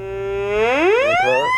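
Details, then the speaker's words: White's MXT metal detector, relic hunting program: clean tone rising smoothly in pitch (VCO), higher as coil nears target center; normal pinpoint response. "The closer to the center, the higher the tone."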